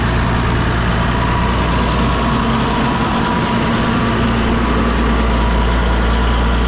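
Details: Massey Ferguson 6480 tractor that had sat idle for two years, running again; steady, even diesel idle with a deep, unbroken low rumble and no knocks or misses.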